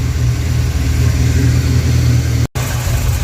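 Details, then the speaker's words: 1988 Ford Mustang GT V8, first run since 1999, after tightening several very loose rocker arms: deep steady rumble with no ticking or knocking, before timing is set; rocker rattle fixed, healthy running. "We're going to see what it sounds like now and try to set the timing. Oh, much better. Sounds beautiful. Yes. Perfect. That's what it was."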